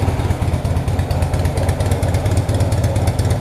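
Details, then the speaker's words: 1966 Honda Dream, first start for a test ride after wiring rebuild, engine adjustments and repaint, rainy day; just started, the small twin settles into a steady, even low putter with no knocks or rattles; normal idle. "1966 on the green up and running keep that little thing nice and tucked out of the way"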